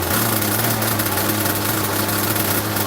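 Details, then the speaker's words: RC boat engine, no idle screw, just started and hard to start; fast, steady buzzing idle that never settles because the throttle servo isn't holding the idle position; servo to be replaced. "So it's not necessarily holding the throttle where I want it to. I'm going to replace it before I send it out on the water. But for today it'll do fine. But u that's why the idle's so high cuz like when I just killed it, all I did was push brake and it just close closes the thing off."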